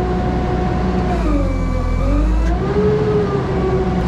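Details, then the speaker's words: JLG 80HX boom lift hydraulics, telescope-in at peak pressure with the function connected: wavering whistle-like squeal over steady engine rumble from a different relief valve; pressures read about 500 PSI low, owner suspects relief valves set too low. "did you hear how the squeal is very different it's a different relief valve"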